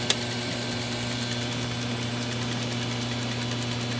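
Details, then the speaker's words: Old Polynesian hot tub after filter change, air bled and both gate valves reopened: circulation pump turned back on, even steady drone with constant low hum, no rattles or surging; running normally. "So they're both open. Turn the pump back on. Sounds good."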